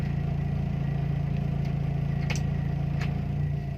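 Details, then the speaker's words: Timor DOHC engine, warm idle with AC on at about 900 rpm: smooth, even low hum with steady pulsing, no misses, hunting or knocks; wiring and sensors judged fine, normal idle. "Hai normalnya pada saat Asean RPM makan sedikit naik ke di sekitaran 1000/2000 lebih sedikit lalu setelah Seoul station dia ke Pak peranakan turun ia mendekati di 900"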